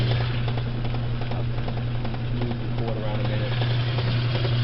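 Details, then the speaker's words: Kenmore/Whirlpool washer that wouldn't spin out, now spinning normally with a steady low hum and even whir after bypassing the faulty door/lid switch; the power cord had also not been plugged in correctly. "I did was bypass the door switch and it's back to spinning."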